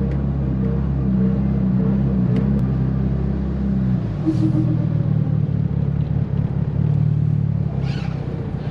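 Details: Tial BOV just installed on a car started cold that morning: deep rumble that sags and turns uneven at the throttle change, bogging at idle; owner thinks it feels like fuel cut but smells very rich, cause unconfirmed.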